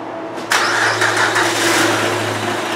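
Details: 2007 Honda Odyssey 3.5 V6, towed in with no power and unable to come off idle: brief crank, then it catches into a rough, breathy hiss with no real rise in revs. Running compression is abnormally high.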